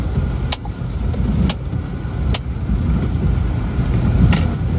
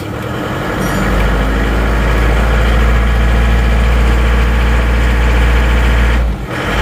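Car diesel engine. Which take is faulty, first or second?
second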